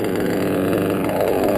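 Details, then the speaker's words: Modded Reds R5R .21 RC nitro engine, deliberately run a little rich for protection: rough, uneven, smothered idle burble instead of crisp buzz; loaded up and smoking, needs clearing out. "it's kind of loaded up let me clear it out again see how that smoke in here go uh that's when it gets loaded up like that because like i said i like to run my engines a little bit rich"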